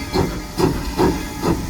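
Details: SoundTraxx-equipped model steam locomotive at speed step 15: four evenly spaced soft chuffs about every half second, steady with no blows or knocks. Normal exhaust, four chuffs per revolution.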